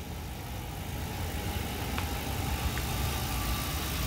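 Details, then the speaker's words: 2010 Ford Crown Victoria Police Interceptor P71, idling about 40 minutes after a jump start on a weak battery, alternator charging over 14 V: steady even low rumble, no knocks, misses or ticks; normal healthy idle. "this vehicle has been running for like 40 minutes at idle running nice and smooth"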